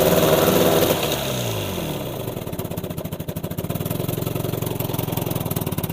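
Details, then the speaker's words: Old Evinrude 20hp two-stroke tiller outboard, just revived, running out of gear: an even, quick popping beat held back from full revs. The owner notes it won't rev fully without gearing, which is normal, not an ignition fault. "Yep, so it doesn't rev up all the way without gearing. That's clever. That's why I thought the ignition wasn't working the way it should."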